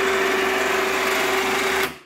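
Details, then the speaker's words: Badland 2500 winch (wireless key fob version), bought sealed-new with a wiring issue out of the box: after solenoid wiring was checked and corrected, it retracts with a steady high electric whir at even pitch, then spins down cleanly. The motor runs normally. "i'm going on the extend aha now it works retract"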